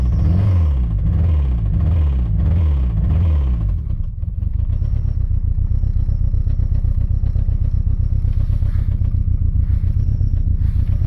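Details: Citroen ZX 1.9 diesel starting: heavy lumpy clatter, then a steady fast rhythmic knock at idle; engine knock present, cause undetermined.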